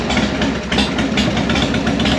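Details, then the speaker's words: 1998 Harley-Davidson Sportster (XLH883 converted to 1200), sat four years, after ultrasonic carb cleaning fixed overflow flooding, running on hand-held choke: lumpy, uneven V-twin beat; runs but idle needs adjusting and bowl gasket still weeps. "Still got a little weakly. I'm gonna have to replace the gasket on the bowl, but that's what the problem was. We'll have to adjust the idle a little bit on this too."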